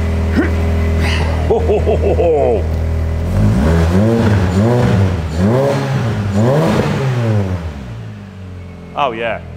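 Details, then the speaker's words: Freshly rebuilt small four-cylinder in Project PP car with custom Milltek exhaust, cold: repeated clean even revs with steady idle between, no rattles, a little smoke out the back; sounds proper. "that sounds proper that nice isn't it yeah yeah yeah not too awful blowing all the out the back of it"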